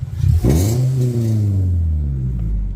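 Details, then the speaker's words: 1998 Toyota Celica GT ST202: fine at light throttle, but a throttle blip brings a harsh, raspy bark before revs settle to idle; an exhaust leak, suspected at the midship slip joint. "There's a slip joint, so I reckon that's the culprit."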